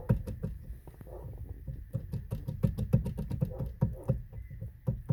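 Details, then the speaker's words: 2003 Ford Fiesta: loose clunks each time the steering wheel is rocked by hand, from excessive play in the steering column bearing, with a loose spring also found. "se escucha también ruido y aquí trae un resorte suelto ve"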